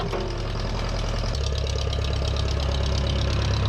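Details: Steady, low, even idle beat with a slight rhythmic tick but no real knock on a 1956 Case 420B backhoe, running properly after a bent crown-shaped washer under the distributor rotor was flattened to restore spark.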